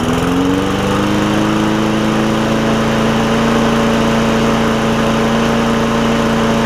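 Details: Bolens push mower with Briggs OHV engine (bought 2019), after valve adjustment fixing hard-pulling starter rope and cleanup: steady, even engine note settling to clean constant pitch, no misses or knocks; running good.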